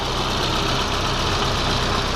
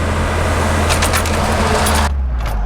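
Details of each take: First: 1991 Volvo 245 after replacing the faulty throttle position sensor: an even, settled idle with a smooth steady hum, much closer to its 1200 rpm spec, no longer idling high. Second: 1991 Volvo 245 (240 series), warm, in park: fast, steady droning idle estimated around 2200 rpm versus a normal 1,200; high idle caused by a misaligned throttle position sensor.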